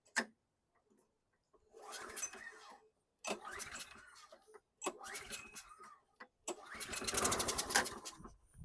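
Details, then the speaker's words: 2010 Toro Recycler mower, Briggs & Stratton 6.75 HP, automatic choke, no primer, missing air filter, OEM Champion RJ19LM plug: rough pull-start bursts sputter and die; it starts smoky, catches briefly and stalls. "Oh, wow. Okay. So it kicked off kind of smoky. I was going to check the plug here in a minute just to see if it had a champion, because it wasn't starting."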